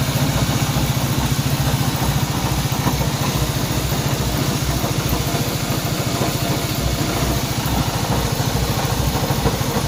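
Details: Honda CB190R motorcycle engine noise at idle: small single idling with a quick steady tapping over the exhaust beat; abnormal engine noise, source unclear.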